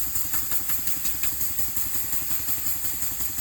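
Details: Elmer's #33 model mill steam engine run on compressed air at about 20 PSI, regular exhaust puffs near 170 a minute over a constant high hiss; air leaking around the cylinder head and the packing nuts.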